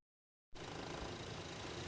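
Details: Lexus GX470 just after replacing a failed alternator. Voltage holds but flickers slightly while the new alternator breaks in. Steady, even idle hum with no misses, knocks or dips; runs smoothly on the alternator alone.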